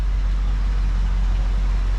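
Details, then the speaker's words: 1974 Ford Bronco V8 after both fuel tank sending units were replaced: a deep, steady low rumble with an even beat and no knocks or misses. Normal, healthy idle. "This thing ran like a champ before, you guys. All right, let's see what we got going on here. let you listen here. Just running great. What a nice running rig,"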